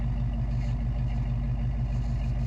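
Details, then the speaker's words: 1974 AMC Javelin, original engine with new timing chain, at night with lights on: deep, even idle with a smooth steady beat, no ticking or rattle; running perfectly. "Just perfect. It's like a damn sewing machine."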